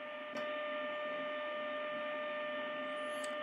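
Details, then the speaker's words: Grundig 2147 radio during AM IF alignment after recapping, signal generator test tone: steady mid-pitched tone near 600 Hz over constant static hiss; signal weak, so the AGC probably isn't kicking in. "about right so i can discern the signal but i've got some static which means that the agc probably isn't kicking in good"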